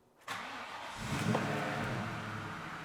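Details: 1996 Ford Mustang Cobra convertible V8, Borg Warner 5-speed manual, dual exhaust, started after lowering from the lift: quick crank catches cleanly, smooth even idle, clean rev rise and fall; healthy engine.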